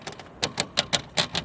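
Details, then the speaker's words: Nissan 350Z with newly installed Zakustech rear window louvers: sharp, tinny clicks about five or six a second, a dry plastic chatter. The louvers rattle against the glass when the trunk shuts and while driving, even at low speeds. "you can hear right now they rattle when you shut the trunk they rattle when i'm driving not even at very high speeds"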